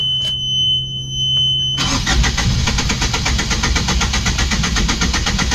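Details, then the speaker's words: Yanmar boat diesel after bleeding air from the fuel filter, lift pump and high-pressure fuel pump: starter churns the engine at a steady beat but it never catches. Cranking no-start, suspected from air in the fuel system. "We've taken air out of the system, out of the uh fuel filter. We've taken air out of the high lift pump."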